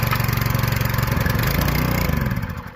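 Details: Budget dirt late model race car V8, first start after engine install on a cold day, primed with carb cleaner: deep, loping idle with even pulses, no knocks or misfires; normal cold idle.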